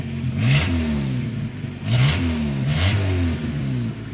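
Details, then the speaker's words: Honda CRX with a broken muffler, before repair; loud, raspy exhaust booming and blatting through quick revs then settling back. "Alright, so let's start up the CRX so we could see what it's been sounding like for the past few months with the broken muffler, and then we can see after we put the pipe on it if it makes a difference."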